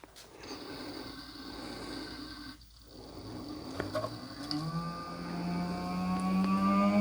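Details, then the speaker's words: Brushless Proform 12-inch electric radiator fan on a bench power supply at 13.85 V, soft-starting: quiet hum climbing slowly and smoothly in pitch over several seconds, no rubbing or ticking, reaching about 12 amps; normal soft-start spin-up. "Crazy how long it takes. There we go. We're like at 12 amps."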